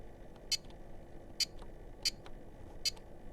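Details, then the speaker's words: Korad KA3005P bench power supply, mic held close to its key buzzer while recalling memories: short sharp raspy beeps about one per second in a quiet room; harsh distorted buzzer beep. "a pretty horrible sort of sound I don't really uh I don't really like the buzzer at all I think they've uh really goofed uh that one up"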